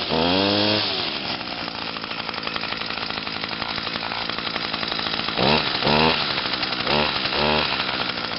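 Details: 2011 Echo PAS 230 22.8cc two-stroke, cold and still breaking in (harder starting than the owner's other Echoes), high buzzy rev held steady with a few clean throttle blips, no stumbling; normal cold running.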